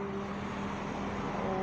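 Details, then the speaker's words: Yellow 16-inch Hatari table fan at speeds 1 and 2: steady electrical hum without turning, because the burnt, scored shaft and degraded oil felts had seized it; fixed with new shaft, bushings and felts. "โอ๊ยเบอร์2ก็ไม่หมุนนะมีเสียงทางนะมีเสียงคาง"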